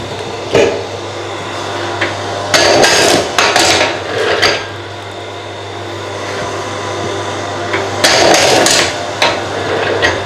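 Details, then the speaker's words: ForestWest 15-ton electric log splitter on its maiden run, splitting Australian stringybark hardwood: steady low motor hum holds under load while wood cracks and pops in bursts; easy split, healthy operation. "that's super easy. And as you can see, this is stringy bark or some Australian hardwood, so that's a very impressive first go."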